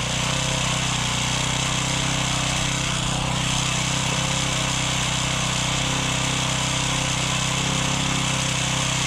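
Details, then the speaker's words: Honda FG110 tiller salvaged from trash, running with an oil-saturated air filter. Steady, even buzzing at constant speed with no misses, surges or knocks; healthy small engine. "looks like it's ready good now oh yeah baby"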